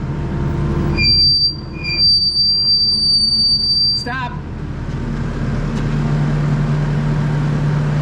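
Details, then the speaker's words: Kubota tracked skid steer running in the shop, ear beside the right-side track: sharp, steady high-pitched squeal over the engine for about three seconds as the track turns; not the rollers, points to the front idler, worsening all winter. "so it's not engaging any of the rollers so this can't be any of the rollers cuz the track's not even touching them it's it feels like this front idler right here"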